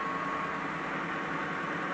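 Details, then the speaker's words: BMW EV conversion, first run of motor and gearbox on new adapter plate and coupler, gearbox without oil, run briefly at low speed: smooth even hum with light whir, no knocks, grinding, play or vibration. "probably hear the gearbox there's there's no oil in it even at this stage so it's no harms to run it briefly at low speed like this"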